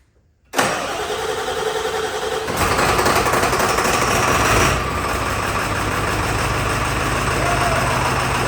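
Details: Donor Ford 7.3 Powerstroke diesel truck described as very reliable. A brief crank, then it catches at once and settles into a steady, even idle with no misses or knocks: a normal start and idle.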